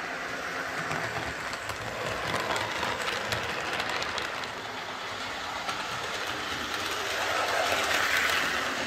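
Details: Old Tri-ang R52 Jinty 0-6-0 tank model locomotive on layout after repair (motor insulating sleeve replaced, cleaned and oiled; previously dead): even clickety rhythm around three beats a second, steady motor hum, no stalling or surging; runs well.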